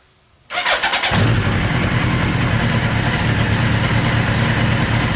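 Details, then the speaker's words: Motorcycle engine in a 4WD mini trophy truck project, run outdoors while comparing the exhaust with baffles in and baffles removed. It catches quickly and settles into a quick, even, fairly quiet, muffled run that sounds like a regular motorcycle, not loud. "just sounds like a regular motorcycle yeah not that loud at all"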